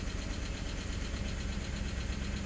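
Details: 2007 Ford Explorer Limited, 4.6L Triton V8, under 130,000 miles, at idle: quick light clicking in time with the deep V8 idle; cam phaser clicking, still under warranty, unrepaired.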